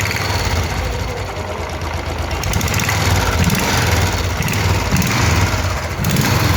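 Steady low idle with an even pulse and no knocking from the bottom end; the engine sounds healthy.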